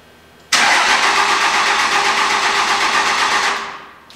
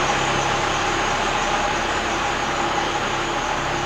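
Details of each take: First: Old 4-cylinder Cummins diesel flatbed truck, fresh batteries; harsh fast-pulsing starter whir keeps going after the engine catches, fading into rough run-on; owner suspects starter contacts sticking after sitting, plans to pull the starter. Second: Old 4-cylinder Cummins diesel flatbed truck with dual stacks: steady, even diesel idle with deep exhaust rumble through twin stacks, no knocks or misses; normal diesel idle.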